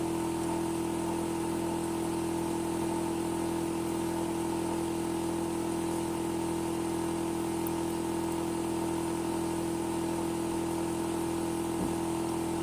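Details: Hitachi air conditioner outdoor unit: steady loud hum with a strong fixed tone and constant droning rumble, no let-up; the unit is running abnormally noisy, a loud abnormal noise.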